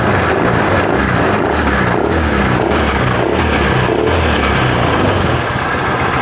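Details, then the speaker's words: Honda Vario 110 FI scooter that stalled after 1–2 km, cause a nearly broken pulser (crank sensor) cable interrupting injector; after idle air adjustment, steady even single-cylinder idle without stumbling; normal idle. "Sekarang varionya sudah hidup, sudah lebih stabil. Tanpa ada story ya, nggak ada kedupan."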